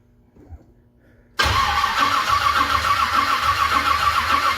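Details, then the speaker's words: 1978 Ford Courier that hasn't run in a while, cranking with no start: near silence, then a steady starter whir at about 3.5 turns a second that never catches. Carburetor believed dry and still filling; no fuel smelled yet. "yeah I still ain't here here fuel yet so we're probably filling up an empty carburetor right now"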